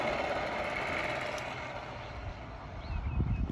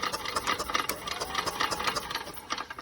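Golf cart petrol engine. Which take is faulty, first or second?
second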